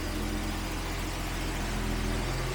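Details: $200 Jaguar with a freshly swapped engine: catches and settles into a steady, even low idle with no knocks or misses, oil pressure rising on the gauge, not charging. Normal idle.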